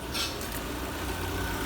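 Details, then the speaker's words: Citroën C4 1.6 16v petrol after replacing timing belt, poly-V belt and its tensioner plus oil, oil filter and fuel filter: quiet even idle, earlier belt-area noise gone; normal idle. "barulho mostrar agora como é que está silencioso E aí e acabou aquele barulho adutora que estava fazendo o choque gostou ficou bom tá uma beleza"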